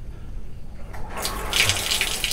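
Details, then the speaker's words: Wasser gas water heater: water rushes through but no ignition clicking and no spark, LED dead; batteries swapped, ignition module suspected and replaced with a universal module. "sama sekali enggak ada percikan api ya"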